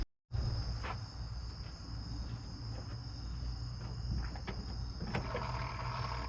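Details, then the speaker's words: 1997 GMC Suburban V8 after in-frame rod bearing replacement with standard-size bearings: quiet, steady cold idle with no rod knock, 60 psi oil pressure at idle (about 20 when warm). "No more rod knot. 60 lb of oil pressure at idle. It's still cool."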